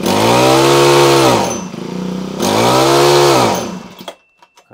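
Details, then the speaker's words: Honda HHH25 four-stroke single-blade hedge trimmer, bubbly and boggy, just started from choke: revs up smoothly twice but falls away and dies at top end; cutting out at full throttle, expected fix is a carburetor clean. "cuts out so that's the problem we're having which should be simply fixed with a carburetor clean"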